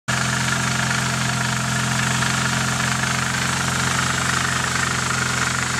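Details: Nissan 240SX KA24DE at idle: a fast, light rattling tick about three times a second rides over the engine note; owner suspects timing chain noise, not confirmed.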